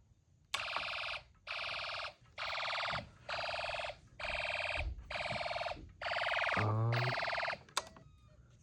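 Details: Snap Circuits hobby fire alarm system test: eight loud, shrill beeps, each about two-thirds of a second with short gaps; alarm sounder working normally.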